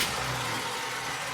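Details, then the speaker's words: 1982 Chrysler Imperial with 13 gallons in tank: no fuel pump sound heard; engine catches and runs rough and briefly on ether only; suspected dead fuel pumps or bad module; runs briefly on starting fluid, no fuel delivery. "As you can see, you should be able to hear the pumping gauge, and it doesn't. But see, she ran on ether right there."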